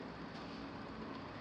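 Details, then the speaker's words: New overhead garage door during home inspection: steady loud rumble and rattle as door travels, far noisier than a new door should be; springs not adjusted properly. "And I don't know if you could hear that, but these are loud. A new door like this, it should be almost silent. These are way too loud."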